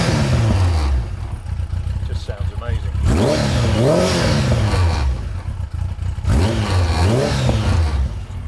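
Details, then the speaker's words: Faired motorcycle with a newly fitted exhaust; a stuck choke cable was found earlier. Warmed up, at low revs, it blips cleanly from an even idle with a deep exhaust note and some fairing rattle. It sounds healthy. "i mean it's a fairing bike it rattles it's what it does but i do need to cut it out a little bit but um yeah sounds great"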